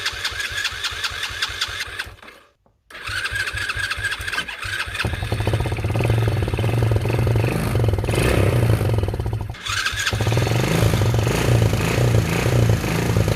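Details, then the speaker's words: Cheap Chinese 110cc ATV rebuild, messy wiring, carb cleaner sprayed into air filter: cranks, drops out, then catches into a steady putter that swells with throttle and holds evenly; quad running properly. "foreign so there we go the quad runs"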